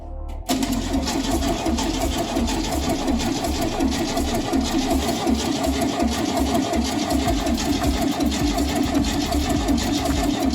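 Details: 1971 VW Bus Kombi flat-four in restoration, cold first start with battery just fitted, no exhaust fitted; short quiet crank, then it catches into an even, fast chatter and runs normally.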